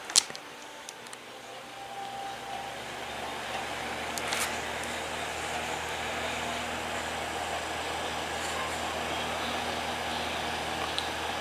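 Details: Holmes HACP9 6-inch clip desk fan, made October 2001, possibly shaded-pole motor, unclipped and started on low, oscillation off: soft hum builds over two seconds then settles into an even, quiet whir; normal startup.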